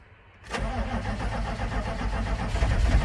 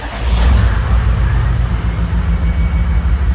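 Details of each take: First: 1995 GMC 3500 HD 6.5L turbo diesel starting after injection pump replacement with injector lines opened, after a glow plug cycle: catches and settles into a rough, uneven low clatter as air purges from the fuel system. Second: 1995 GMC 3500 HD 6.5L turbo diesel, hot start after sitting about 15 minutes following a test drive, with the replaced injection pump timed: catches almost immediately, settles into an even, steady idle. Normal hot start, smooth and quick.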